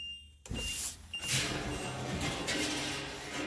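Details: HWH hydraulic leveling jacks retracting on an RV: hydraulic hum with sharp pops as return springs drag over lower mounting bolts, on the side not yet fitted with plastic cutting-board spacers.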